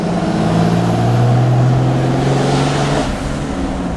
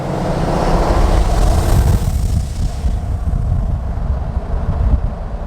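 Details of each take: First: Diesel truck after towing, boost leak suspected from a loose clamp, clamp re-tightened; third gear under load on test drive: steady even low drone with no whoosh or hiss from the boost side; healthy after fix. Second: Diesel pickup under heavy load in third gear while towing a camper, no boost building: loud airy whoosh over the diesel roar, not turbo spool, heavy black smoke; boost leak.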